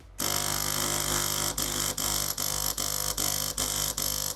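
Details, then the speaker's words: De'Longhi PrimaDonna Elite Exclusive espresso machine, used, heating in progress: constant harsh buzz with short regular dips about twice a second; vibration pump running dry with air in the line, not moving water. Clogged flow meter suspected. "I'm trying to pump but don't pump you can see the heating is in progress but there's air in it so let's see what's going on here well, the pump is not pumping"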